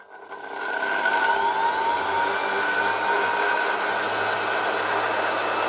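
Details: 1970 Zelmer 01 vacuum cleaner with East German 1004.2/5 motor from Suhl, reassembled with original bearings only greased, run through a voltage regulator: spools up over a second to steady high whine with airflow rush, smooth, no grinding; running acceptably.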